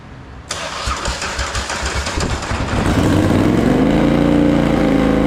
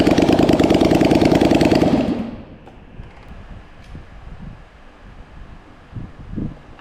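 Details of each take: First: Polaris Sportsman 850 XP quad, hard-worked bull catcher sat for a couple of years, parked up for pumping oil at the engine breather; first start on jump pack, old fuel: cranks, catches, stumbles into a loud lumpy idle, shooting flames and misfiring; owner suspects old fuel. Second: Polaris Sportsman 850 XP bull catcher that had sat for years, revived: even, steady firing at a quick idle for about two seconds before shutting off, with no knocks or misses; runs normally.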